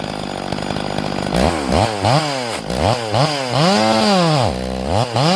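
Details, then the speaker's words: Completely rebuilt Stihl MS440 chainsaw with 28-inch bar, freshly carburetor-tuned, cutting roughly three-foot red oak: high, crisp screaming rev that dips and recovers cleanly under load, slight stumble on the backside; normal cutting. "Michael, dude, this thing running spectacular, man."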